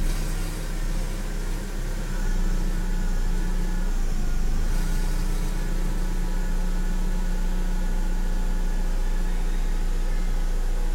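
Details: BMW manual, stock except one resonator removed, cold start: four-cylinder idle with deep steady drone and uneven stumbling beat; for about a month, every start, gone once warm; cabin lights, ABS and another warning light flicker. Cause unknown.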